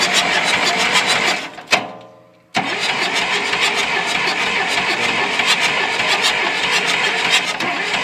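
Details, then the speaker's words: John Deere 2640 diesel tractor that sat for years, with a fuel line cracked for bleeding: the starter cranks steadily, pauses, then cranks again without firing. The injection pump builds no fuel pressure (broken drive shaft); earlier it only ran on ether. "And we pulled it off, and it would never build any fuel pressure from the injection pump. And so we hit it with some ether, and it cranked on ether going down the road, but it just still won't pump any fuel out."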